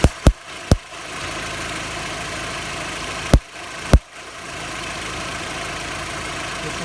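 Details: VW Golf MK4 idling with sharp irregular snaps, sparking just above the starter motor, felt as a misfire; faulty starter motor was the cause, and replacing it fixed the problem.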